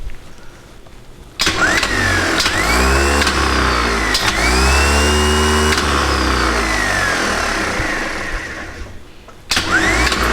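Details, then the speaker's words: Returned new Bosch 24 V starter from a stationary engine, bench-tested open with power reapplied after inspection: it clacks in, spins up with a rising whine, runs steadily and coasts down, functioning normally with no excessive amp draw or contact heating. "seemed to function normally no no excessive amp draw uh the contacts in here are uh are doing their job I can't see any heating of any kind"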